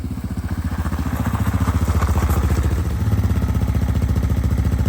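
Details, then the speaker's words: Yamaha TTR-230 single-cylinder trail bike after carburetor removal and cleaning, started without choke: crisp, even thump at steady fast idle, no misses or popping. Normal running, better than ever since owned. "Maybe it doesn't need the choke. Didn't need the choke. Jeez, that sounds really good."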